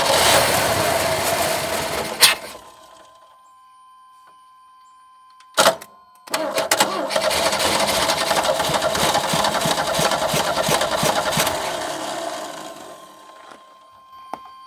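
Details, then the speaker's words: 1989 Chevy S10, 2.5L Iron Duke four-cylinder, abandoned about 22 years: after a few cranks on 50:1 two-stroke gas poured in, it catches and runs rough for several seconds, then dies as the priming fuel burns off; spark weak, distributor and plug wires to check. "does run yeah we'll just spill it all over the top of the engine"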